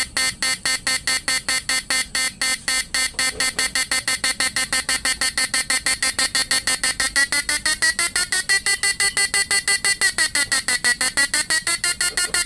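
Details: Repaired PDC 4-FET mini stun inverter with replaced PWM, under load, flip-flop capacitor swapped for 50 V 10 µF electrolytic to slow blinking: shrill buzz pulsing evenly about twice a second; normal slow flip-flop pulsing.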